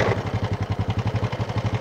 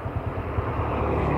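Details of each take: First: Honda Supra motorcycle idling with a harsh, rhythmic clatter pulsing about four times a second; timing chain and bushing already replaced and the noise stayed rough; heard from both the right and left sides. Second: Honda Supra motorcycle after repeated cam chain and bushing replacements for rough engine noise, clutch adjusted; now a steady low idle rumble with no knocking or rattling; normal idle.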